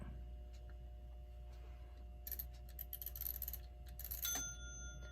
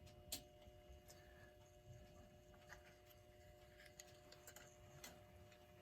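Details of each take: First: Ingraham SSD8 electric strike clock, c. 1936, during repair after reseating dial and minute hand: quiet hum then bright bell rings with the minute hand at seven instead of twelve; strike out of sync with the hour. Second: Ingraham SSD8 electric strike clock, c. 1936, running after power cord reconnection during restoration: faint steady hum with quiet irregular ticks; runs well though old grease and oil is seen dripping onto the dial; normal motor running.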